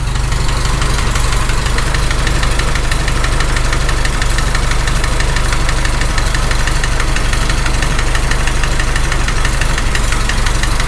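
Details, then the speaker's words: Farmall H tractor: a mystery knock appeared minutes into the first start after work. At idle there is a dull, uneven knock about three times a second that comes and goes. Wedging out the rocker end play didn't cure it; it is loudest at the rocker area, and number 3 is suspected. "That rocker is not closing up to the block at all. That's not moving. It actually sounds the loudest right there."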